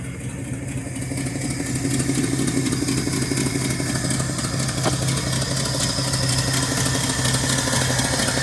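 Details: 1968 Ford F250 V8 started after a torn gasket was replaced, to check for leaks. It settles into a steady, lumpy idle with a low rumble and light top-end clatter, and no stumbling or misfire is heard.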